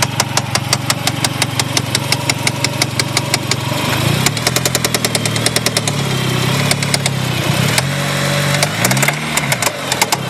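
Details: 1G Talon AWD with a sharp, loud metallic knock over a rough idle, roughly three a second; owner suspects rod knock, a dead lifter, a binding valve spring or a failed transmission; source unconfirmed.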